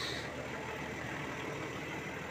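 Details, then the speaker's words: Toyota Land Cruiser VX80 diesel with turbo timer after clutch disc and pressure plate replacement: even steady idle with no rattle or grind from the bellhousing; earlier rough noise and vibration gone, normal idle. "suara senyap tidak ada lagi ya oke enak banget suaranya ya"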